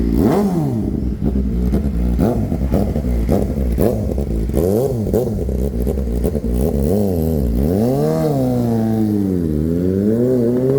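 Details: Kawasaki ZX-4RR being revved hard before backfire removal. The revs rise and fall sharply, and sharp pops crackle from the exhaust as the throttle snaps shut, which is backfiring on overrun.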